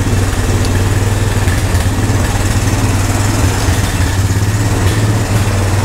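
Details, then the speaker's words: Old Honda three-wheeler/ATV revived with only fuel after sitting. Single-cylinder thumper idling with quick steady low putter, no misses or rattles; normal idle, owner thinks idle sits a little too low. "that's good that's promising thank you I think my idol maybe sit a little too low thank you"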